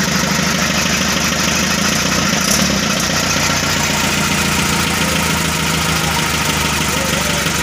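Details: 1981 Mitsubishi FE Colt Diesel 100 PS truck first start after new original engine block fitted and fuel bled; even, steady diesel idle clatter, smooth, checked for water and fuel hose leaks; normal idle.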